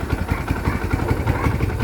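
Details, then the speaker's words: Kawasaki Barako 1 single-cylinder idling after connecting rod repair; the noise had begun after hard riding. Now an even, quick putter with no clatter or knock, back to its normal quiet sound. "Balik na siya uli sa dati niyang tunog na okay na siya."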